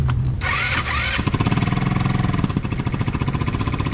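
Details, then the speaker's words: MB RX-150 scooter after repairing its high-compression no-start with an Italika conversion: brief crank, then a clean start and a steady idle of quick, even exhaust pops; the muffler still needs welding; normal start and idle. "lo hicimos la conversión y ya está arrancando y jalando"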